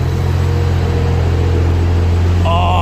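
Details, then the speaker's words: Barra-swapped Toyota JZX100 on standalone Barra harness, just after first start of the swap: deep, steady idle with an even beat and no misses or knocks; owner says motor sounds mint. Normal idle. "too motor sounds mint oh man I'm excited oh I just can't believe that actually just started straight up"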